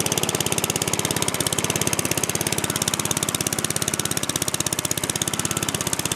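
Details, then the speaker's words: Free used lawn mower, cold start: fast popping exhaust beat at idle that surges and stumbles unevenly; rough running, owner suspects stuck float and fuel leak, air cleaner cover loose. "nice yeah see it's got issues I think it's leaking fuel out there's probably not even much"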